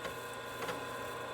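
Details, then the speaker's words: Altair 8800 in its old backplane, before moving cards to the MITS motherboard, booting CP/M from floppy after reset: steady buzzy chatter with quick light head-step clicks; drive reading normally as CP/M comes up. "can hear it booting CPM, and I can see CPM is up on the display."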